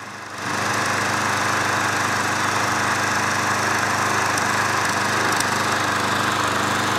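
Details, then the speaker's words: Craftsman 20" mulcher push mower (curb find), after carburetor cleaning and about five minutes of mowing: steady, even engine buzz with no misses, surges or knocks. Early smoke, from excess hydrolock oil in the muffler, burned off and it now runs well. "after that burned away no longer smokes that actually runs pretty good"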